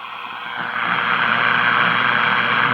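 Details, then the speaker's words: 1941 Crosley B36-BS battery farm radio during servicing, no antenna connected: hissing static with faint warbles as the dial sweeps, stations not locking in; lacks sensitivity without antenna. "see there's some more and these would come in would an antenna they're just not gonna come in without an antenna"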